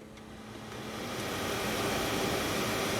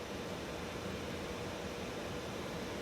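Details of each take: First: Mercedes Sprinter blower motor after replacing the defective blower regulator that kept it running with key off: steady airy whoosh builds smoothly, no rattle or squeal, speed lowered then switched off; normal blower operation. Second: 2013 Mercedes Sprinter 3.0 L with key removed: steady airy blower fan rush at constant speed from the vents, draining the battery overnight; stops only when battery disconnected; blower stuck on from shorted blower regulator.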